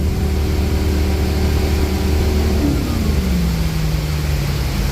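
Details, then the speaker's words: Volvo Penta in a Regal boat after fixing a leaking fuel injector, exhaust installed, on the water near 5,500 rpm per tachometer (doubted): steady even drone, no misfires or alarms, temperatures good. "so far so good temperatures are good sounds good we got no misfires no alarms nothing going on"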